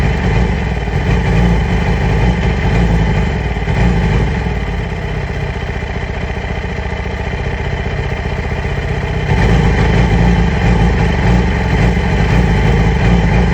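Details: 2008 Yamaha R6 rough idle: uneven lumpy beat that wavers instead of holding steady. Owner has ordered new ignition coils and spark plugs; cause suspected, not confirmed.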